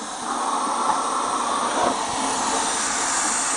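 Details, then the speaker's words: Refurbished Verteq 1600-55 spin rinse dryer after the cycle: door release, then a steady strong hiss of low-pressure hot nitrogen purge with no stutter; aggressive purge normal, wafers and cassette dry and warm. "The door release, and that's the purge. The Verteq have a pretty aggressive purge and LP, that's a low pressure purge and a N2 flow."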